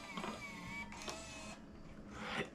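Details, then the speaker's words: Panasonic AG-HVX200P DVCPRO camcorder, found with a Sony Video 8 tape inside: tape compartment cycled repeatedly, short small-motor whirring bursts with light clicks, smooth with no grinding; loading mechanism works normally. "It didn't sound bad. It's just with there being a tape in it. Again, I just want to kind of get it moving."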